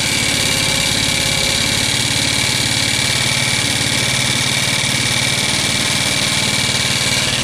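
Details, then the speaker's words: Scooter that sat for years, first run. A loud, sharp, rapid valve chatter rides over the idle, and the engine smokes and burns oil. Valve train chatter; cause not confirmed. "you can definitely hear the valves at play here they're pretty noisy they're chattery"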